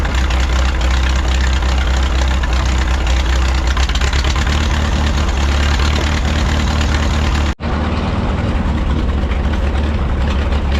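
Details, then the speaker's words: 1951 Farmall M tractor, warm idle after oil change and rebuilt carburetor: mostly steady low idle with occasional stumbles and pops; intermittent misfire, cause not pinned down. "so the noise is still there yesterday I thought the noise was getting better when the engine warmed up but it doesn't seem to be now it seems to be kind of the same and it's it's intermittent so it's hard to to pin down"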